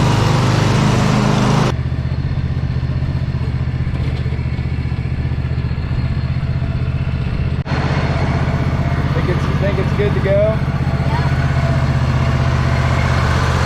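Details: 2007 John Deere Z425 zero-turn mower after replacing its failed Briggs & Stratton engine (1000+ hours) with new 44S977-0032-G1 complete with starter and auto choke; steady even single-cylinder drone at constant speed, no knocks or misses, healthy.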